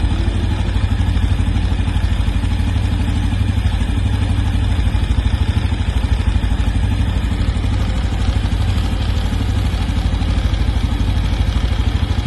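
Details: New 2025 Honda Biz 125 at idle: steady small single-cylinder beat with a light, rapid ticking clatter riding evenly throughout; engine noise, cause unknown.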